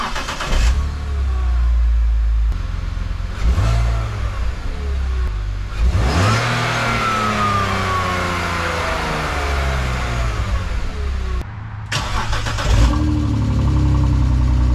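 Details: BMW E46 after a muffler delete: loud, raspy revs with a thin whistle sweeping up and down in pitch with engine speed; exhaust whistle, cause suspected, not confirmed.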